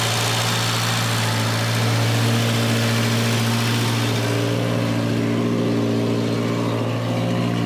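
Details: Volvo 240 warming up: a fast, steady hum that drops only about 20 rpm at a time and never settles; idle stays consistently, chronically high. The car also has an exhaust leak and a blown top cam seal leaking oil; cause of the high idle not confirmed.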